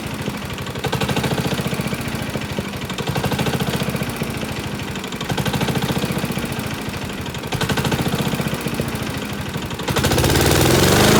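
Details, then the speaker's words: Honda self-propelled lawn mower, about 590 hours, with a heavy, rapid knock that sounds like a big-end bearing. The cause is a cracked blade carrier disc wobbling on the crankshaft, fixed by replacing the disc. "now that causes that whole disk to wobble when the crankshaft and causes that bad knocking noise"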